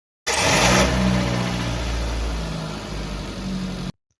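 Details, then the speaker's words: Car in park or neutral, battery at 12.48 V resting, cranking test with a multimeter, dropping to about 4.3 V against a 9.6 V minimum; sluggish, uneven churning about three beats a second, weak battery, critically low cranking performance. "So all the cranking wtages are very low or critically low performance."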